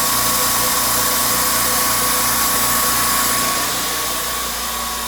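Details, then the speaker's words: California Air Tool compressor after home repair of a factory defect that failed it at about five hours of runtime: steady even motor drone, smooth pump pulse, faint high hum, no knock or rattle, quiet while building pressure; repair successful. "you can hear it is a quiet compressor pressure is building up"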